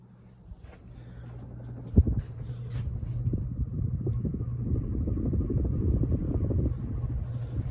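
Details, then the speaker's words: Renson ceiling fan, low motor hum with a rough rumble growing as it speeds up on variable speed; worn bearings that need a full service and are expected to get much worse. "the motor is Beefy too you can start to hear the bearings they're going to get way worse"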